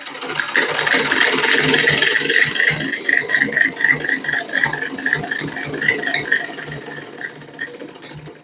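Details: Old sewing machine after tightening only the loose lower parts, no other settings changed: steady stitching clatter about four beats a second, no heavy knock; previously very noisy, not stitching or feeding cloth.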